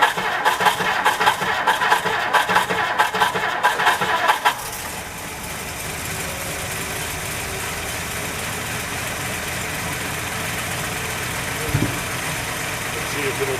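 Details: 1960 Plymouth Fury old V8, just cold-started after years unused on stale gas, with the accelerator pump not working and the choke misset: brief rough catching, then a steady, even idle with no missing beats. Running well.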